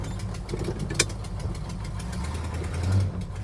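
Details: 1971 Plymouth Hemi Cuda V8 idling just after start: rough, puffing low rumble with sharp ticks on top, from a leaking warped exhaust manifold, to be refitted without gaskets.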